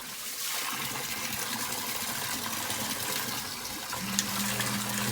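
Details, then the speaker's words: Sump pump whose ripped filter let rocks and mud into it, after the debris was cleaned out and water poured in. Water rushes, then a steady low motor hum as the pump kicks on and runs normally again. "Alright, that's the sound you want to hear. So we back and running."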